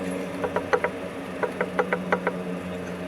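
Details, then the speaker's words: LBZ Duramax stock turbo removed, engine off, shaft worked by hand; about ten light metallic clicks in uneven bursts, forward-back shaft play; worn turbo bearings, being replaced with Danville 3794 turbo. "a forward and back shaft play so that's pretty bad so it's probably a good thing we're putting a new turbo"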